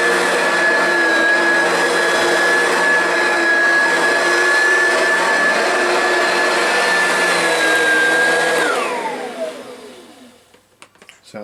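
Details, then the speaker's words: Oreck XL Classic vacuum, over 20 years old, after replacing the original brush roll with failing, noisy bearings: steady clean motor whine at one pitch, no rattle or chatter, smooth wind-down at switch-off; bearing noise gone, runs healthy. "good to me no more bearing spaz out sounds seems like it's working a little better too"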